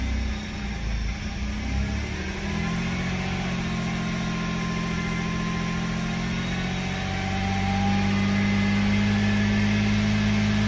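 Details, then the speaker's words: 2011 BMW 328i xDrive just after engine replacement, spray on exhaust manifold, no front tires fitted: idle surging, rough and lumpy, rising and sagging as if trying to die though rpm okay; cause suspected, not confirmed. "it's kind of surging running a little bit rough it's complaining because there's no front tires on the car"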